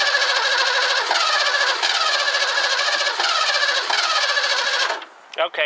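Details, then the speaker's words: 1984 Ford Mustang GT350 barn find with fuel poured into the carb: catches and runs ragged about five seconds, then dies; spark confirmed throughout, so fault is in the carburetor. "I'm gettin spark'd the whole time so it's not dying because it's losing spark"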